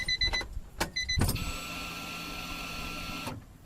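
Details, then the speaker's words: Honda Beat JDM sport car that cranks but won't start, after main relay swap and fuel pump maintenance: a couple of relay clicks then steady high fuel pump whine about two seconds, cutting off cleanly; normal fuel pump priming. "That's definitely priming AF."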